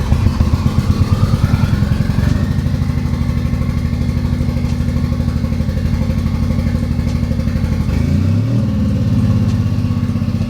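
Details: Boosted Honda K20 swap at idle: uneven, stumbling idle with irregular beats and dropped pulses that come and go as things are moved, narrowed to a fault in one area of the engine.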